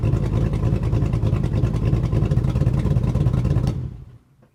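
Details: 2002 GMC Sierra V8 on stock tune after a Truck Norris NSR cam swap, stock manifolds and cats: loud lumpy, choppy idle with heavy rumble, running super rich and rough before cutting off; a tune is planned to fix it.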